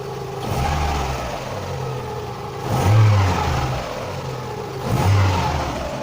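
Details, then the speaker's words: Idle hunts up and down on its own every couple of seconds with the mass airflow (MAF) sensor connector unplugged, giving an unstable surging idle; demonstrating the MAF sensor's role. "O bu şöyle var sensörlümü soketi çıkartıyorum gördüğünüz bir bir dalgalanma oldu düştüm motor Arkadaşlar bu o kendi kendine bir düzensizlik oluyor yükseliyor düşüyor"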